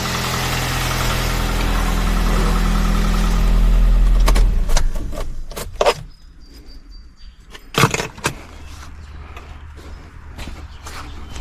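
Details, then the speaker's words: Kia Soul idling after valve cover gasket replacement for an oil leak, bolts torqued to 45 in-lb, heard under the hood: even, steady idle hum with no ticking or misses, then shut-off. Runs great, no leak at the valve cover. "As you can hear, the engine is running. The engine runs great."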